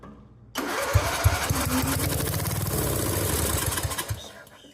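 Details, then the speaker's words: 1997 Mastercraft (MTD) 38" lawn tractor, 12.5hp Briggs & Stratton single, parked outside for years, low on oil, throttle wide open on starting fluid; cranks, runs roughly about four seconds then dies; carburetor full of brown-yellow varnish likely needs cleaning. "I'm guessing it needs a little tidy up in the carburetor anyway, so I suppose that's probably next on the agenda. This carb is filled with this nasty, lots of it, brown yellow stuff."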